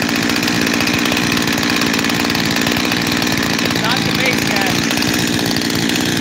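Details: Freshly rebuilt Husqvarna 372 XTorq chainsaw with new bearings: buzzy idle that wavers up and down without settling, two idles; owner suspects a leaking transfer cover gasket, unconfirmed, and plans to remove and reseal it.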